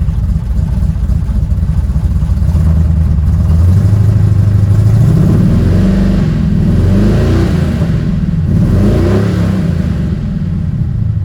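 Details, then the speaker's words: Ford F100 V8 after harmonic balancer replacement, timing set 11 degrees BTDC: pulls cleanly past 3,000 rpm with smoothly climbing pitch and no backfire or stumble; the previous high-rev backfiring is solved. "Now that is the first time since I've changed that harmonic balancer, that's the first time I've been able to rev past like 3 grand without it backfiring or giving me problems after."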